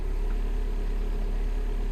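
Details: 2010 Mini Cooper S 1.6 N14, running after 5.2 kΩ pull-up resistor added to sensor signals: steady even low idle hum, no misses, knocks or hunting, no warning lights.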